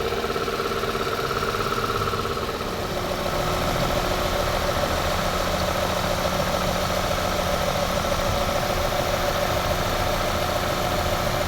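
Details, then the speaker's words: Toyota Corolla 2E petrol engine after repair for smoking and oil consumption; steady, even idle with constant pitch and no misses, shake or knocking; engine runs very smooth, cooling fan now switching on automatically; normal idle. "Pero yung makina niya pinong-pino na, walang palag."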